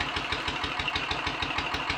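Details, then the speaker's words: Royal Enfield 500 ASBO 36 single after top-end rebuild, ignition timing backed off slightly and carburetor throttle stop and mixture screws adjusted: started straight into smooth, steady tickover, even thump about five beats a second, no misses or knocks; healthy idle. "the goodies and starter and straight into a most smooth steady ticking over"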